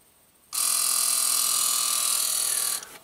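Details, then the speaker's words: 2010 Toyota Prius with 230k miles, no codes, booster pump cycling every 15-30 seconds: sharp, steady hiss for about two seconds from brake fluid leaking internally in the ABS booster/stroke simulator module, heard by stethoscope. "so the leak is with a stethoscope you can actually hear the hissing inside of the abs module"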